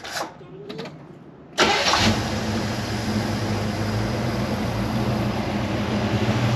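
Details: 1977 Chevy Nova Concours V8 after tune-up (plugs, wires, cap, rotor, fluids): cranks briefly, catches, settles into steady, even, deep low-rumble idle; owner thinks idle screw maybe needs slight adjustment. Normal idle.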